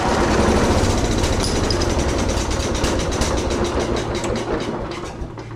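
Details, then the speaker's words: Abandoned 1983 John Deere 210 lawn tractor with spark, oil and fuel now reaching it after clearing fuel line clog: regular starter chug about 3.5 beats a second with a few sharper catches, then winds down; cranking with brief firing, won't run. ">> Okay, guys, that's a great sign. That's a great sign. She burped."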